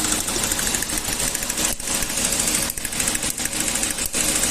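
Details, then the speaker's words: Toyota gasoline engine with heavy pinging under acceleration and lost power: rapid sharp metallic tapping over the engine. A tester shows current leaking from the spark plug wires and misfired combustion, and the coil output towers are damaged. Spark knock from ignition leak. "Y bueno, como se puede observar, hay caídas, tiempo de mal quemado y bueno, eso nos indica que hay una fuga de corriente."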